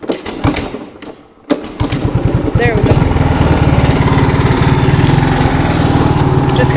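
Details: 1983 Honda 185 three-wheeler just fitted with a replacement carburetor, started on starting fluid with airbox off: catches after a few cranks, settles into steady even single-cylinder idle while warming up; runs fine.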